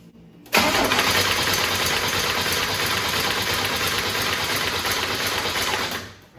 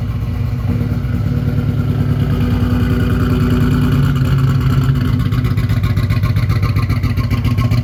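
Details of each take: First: 1987 Buick Turbo T (Grand National), not run in 12 years, after loose ground and wiring repairs: starter churns the engine evenly for about five seconds and never catches; injector pulse present but no spark on tester. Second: 1987 Buick Turbo T (Grand National) at cold start after sitting 12 years: deep lumpy but even idle, slight rev rise, no knocks or misses; oil pressure mid 60s, alternator charging; runs fine.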